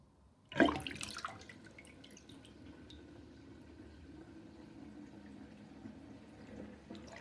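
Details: Drain with a drain basket under steady water flow: uneven hollow gurgle and bubbling as water runs down; loud drain gurgling, cause unclear.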